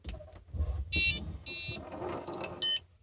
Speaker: And when you've connected those up, you've got a working vario. Plug the battery in and it beeps.